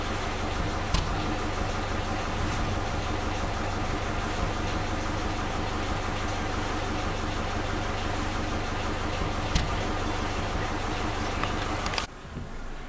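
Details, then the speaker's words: Suzuki Katana engine, on point ignition, old spark plug wires refitted (firing order 1342) as a check: idle with occasional sharp pops and slight RPM dips, confirming the fault; misfire from worn spark plug wires. "Kita lihat RPM-nya. Nah, itu ada turunan sedikit. Oke, berarti sudah fix adalah kabel businya."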